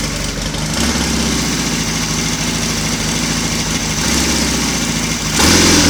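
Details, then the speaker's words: Royal Enfield Constellation twin, cold morning, both cylinders fed from one carburettor (jetting still needs attention), slightly sticky throttle cable: steady even idle with clean throttle blips rising and settling smoothly, firing on both cylinders. "although we seem to be running very nicely on two from the one carburetor"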